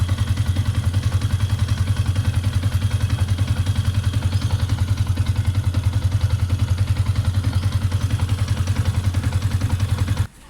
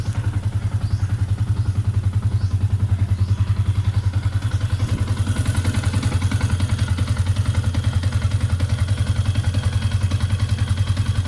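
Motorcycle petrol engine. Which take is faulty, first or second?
second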